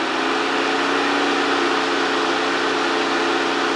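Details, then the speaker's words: Mercedes 560SL (R107) auxiliary fan bench-tested on an adjustable DC power supply before the condenser and radiator go in: two-speed fan at 10 V, topping out near 11 V at 9.5 A. Steady, even air rush and smooth motor hum, no ticking; it works fine and runs quiet. "it's a two-speed fan I'm only running 10 there she tops out at about 11 at a 9 1/2 amp so it looks like it works great nice and quiet"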